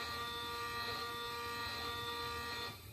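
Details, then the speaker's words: Printrbot Jr. 3D printer Z-axis stepper, the slowest axis, jogged from host software after assembly. Quiet, even buzzing hum for under three seconds as the Z moves up a little, then stops; normal stepper movement. "this is going to be the z-axis which is the slowest one um so it's just moving up a little bit"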